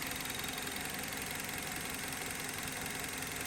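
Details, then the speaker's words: 2010 Mazda 3 2.5L at steady idle: light, fast top-end ticking, around 160 per minute, seemingly from one area of the engine; cause not pinned down, owner hopes it isn't valve-related. "Ticking noise. What is it? Sounds like it's coming from around here."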